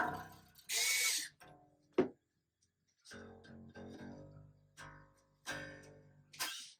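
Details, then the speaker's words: Bass after restringing with about three wraps on the tuning post for proper tension and break angle: plucked notes ring out clean with no rattle or buzz; the earlier string rattle is fixed. "that's going to give you a nice a nice tension nice brake angle nothing's going to be wanky and making weird buzzes the strings aren't going to be super floppy or anything like that"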